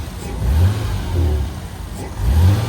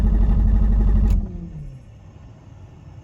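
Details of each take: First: Abandoned, wrecked Toyota Supra Turbo that had been sitting: three clean throttle blips rising and falling smoothly with no miss or knock, no smoke; normal revving, minor noises suspected from rusty belts and fan. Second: Toyota Supra Turbo, long abandoned, which shut off while driving: repeated long cranking bursts with steady starter churn about four per second, never catching; cranks but won't start, fuel pump not heard, fuel delivery suspected but unconfirmed.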